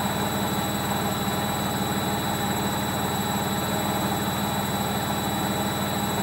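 Loud steady rumbling roar with a slow throb through the fast spin, no let-up; classic worn drum bearings.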